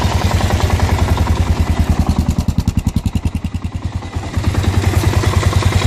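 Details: Kawasaki KLR650 single-cylinder at idle making strange noises since the winter layup: heavy, regular rhythmic knocking or grinding at about three and a half beats a second in time with the engine; owner asks what it is, cause unknown.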